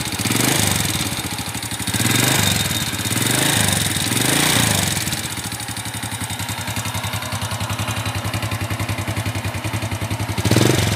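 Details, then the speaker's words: Honda Supra Fit used for hauling palm oil, smoking badly: revs and falls back to idle with a harsh fast clatter underneath; pretty severe, worn rocker arms and camshaft. "Ya guys, jadi seperti itu suara motornya ya. Gimana? Lumayan parah."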